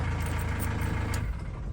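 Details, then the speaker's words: Ford Transit Custom mk7 diesel idling during alternator load test, headlights and wipers on: even, steady diesel clatter with no stumble; engine and charging normal. "let's say it's all charging normal which is good"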